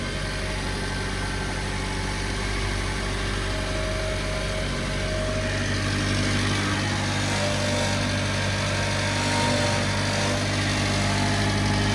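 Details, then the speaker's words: Subaru Sambar small engine at idle on first startup after preventative maintenance rebuild (water pump, timing belt): light tinny buzz on the exhaust pulses from a heat shield underneath that isn't tied down, rattling. "of my Shields is not tied I can hear it rattling all right down here yeah yeah up under that Shield isn't tight"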